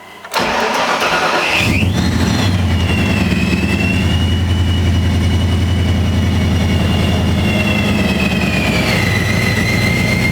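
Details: 1985 Mercury Capri (Fox body) after installing a new fuel pressure gauge: starter whirs briefly, the engine catches cleanly and settles into a smooth even idle with a faint belt whine; the gauge is expected to read around 52 psi; normal start and idle.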